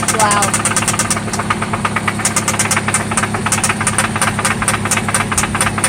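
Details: 1995 Toyota Celica ST idling after an oil change and spark plug replacement: a loud, sharp knock tapping a couple of times per second over the engine note; the knock seems to come from one spot, and its internal source is undetermined.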